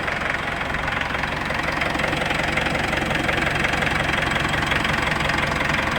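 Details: Mitsubishi Pajero diesel after repair of a wrongly installed timing belt, with rocker arms repaired, new sealant and a new fuel filter: steady, even diesel clatter of about 220 beats a minute at idle, no misses or heavy knocks. Normal diesel idle.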